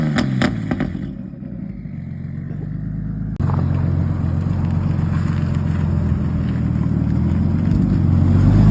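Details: Barra inline-six swapped Mustang drift car after replacing injectors (cylinder one injector was not firing) and fuel pressure regulator raised; engine revs smoothly and pulls steadily under load, all six cylinders firing cleanly.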